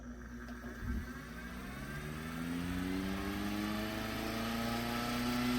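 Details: Restored 1930s Robbins & Myers vintage fan, freshly cleaned, greased and reassembled with new wiring and plug: a smooth whir rises evenly in pitch to speed and holds steady, no rubbing or clatter; normal running.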